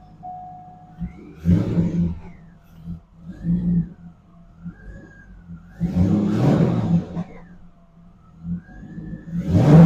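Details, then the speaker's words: SLP cold air intake just installed, warm engine: several clean throttle blips climb smoothly and drop back to a quiet steady idle, no misses; no engine lights, healthy revving. "Probably gonna take it for a spin down the road, see how she reacts. with the new air on it. Sounds pretty good."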